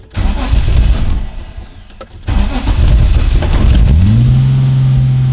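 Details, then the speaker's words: BMW E30 M3 Touring starting in rain: starter churns about two seconds with throttle before the engine catches and flares up, then revs fall very slowly to idle; cause unconfirmed. "Muss den Anlass jetzt ein bisschen durchdrehen lassen und ein bisschen Gas dabei geben."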